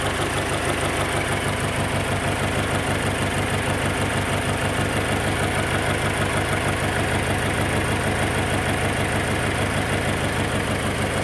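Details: Subaru BRZ petrol engine idling with an uneven, pulsing exhaust note carrying a rough rattly edge; abnormal exhaust noise at idle, cause unknown.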